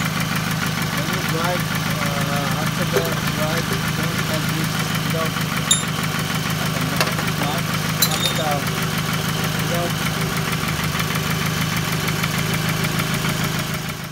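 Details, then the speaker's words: 2006–2008 Toyota Camry 2.4 at steady idle: light, fast tick about three times a second over the engine hum, traced to a leaking intake manifold after a lifter replacement failed to cure it. "now finally figure out this intake manifold noise let me let me start in here"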